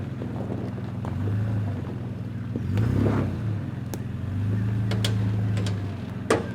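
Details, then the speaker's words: 4x4 driving a rough Sundown National Park track, new suspension on original radius arm bolts; engine drone with sharp irregular bangs from the front, not the spring; owner suspects loose or stretched radius arm bolts, to tighten at camp. "Now that banging you can hear in the front, that wasn't the spring that time. Pretty sure that's a loose radius arm that I'm going to have to tighten up at camp tonight. It's not a problem, but you get like the slightest bit of movement in those bolts and they just clunk all day."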